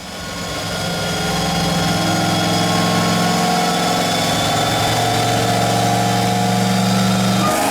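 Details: LS-swapped Nissan G35 with blower and nitrous on a dyno pull. Loud steady drone with an uneven, lumpy pulse from one dead cylinder, a cracked old plug wire. A soft nitrous hit adds a slight power change.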